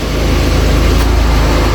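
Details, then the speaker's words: Audi TT Mk1 1.8T Quattro 225 bhp, 6-speed manual, idling after the exhaust was fixed; deep even engine note with steady pulse, no ticking or chuffing, sounds healthy and sealed; power steering still not bled. "I mean, it sounds a lot better because the exhaust's fixed."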